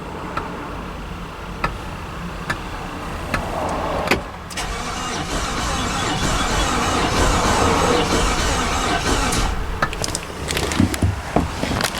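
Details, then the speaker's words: Infiniti QX56/QX80 from auction with suspected engine problems, after new battery, fusible link and cleaned terminals: faster but lumpy, uneven cranking that never fires; sounds like a cylinder skipping, cause not confirmed. "new battery installed with our new fusable link cleaned up all our terminals let's see if we have an improvement in cranking [Applause] RPM oh goodness no key you can hear it's skipping a cylinder cranking speeds better just thinking about it no luck"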